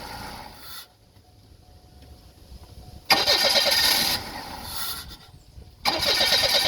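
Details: Engine with an intermittent starting problem, cause unknown; after a quiet gap, a long run of uneven cranking that drags on before catching, slow and reluctant to start.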